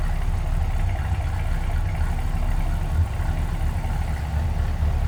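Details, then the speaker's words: 1965 Chevrolet Impala SS hardtop, 327 V8, new tailpipes: deep steady low rumble at idle, even throaty exhaust beat, no misses or knocks; normal V8 idle. "Nice little rumble out of that 327. Nothing crazy, but nice deep throaty exhaust note."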